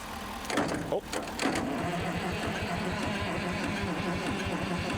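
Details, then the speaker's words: Euclid S7 scraper diesel with a 12 V starter, cranked after sitting while priming fuel: a slow, labored chug of about six beats a second that never fires. The starter is suspected, unconfirmed. "That starter does not sound real happy, Bob. Yeah, I'm wondering if it's the starter or if it's This is where the manual transmission comes in."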